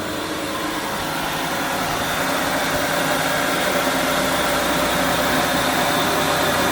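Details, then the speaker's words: 2006 Ford Freestar van idling smoothly and evenly on a hot (~90°F) day right after replacing spark plugs, plug wires and ignition module; steady hum with no stumbles, misses or knocks; normal idle. "Oh man, it is hot in here. It's like 90° outside today. Man, purr like a kitten. What are you talking about? Purring like a kitten."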